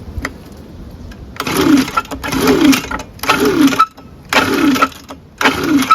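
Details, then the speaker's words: Echo ES-250 handheld gas leaf blower/shredder, a no-start bought at a yard sale, on a 26° day, after draining oil that had hydrolocked it. Five quick pull-cord cranks, each with a dry scrape, no compression and no firing. Cause unclear. Scraping when cranking. "whatsoever now something else is scraping"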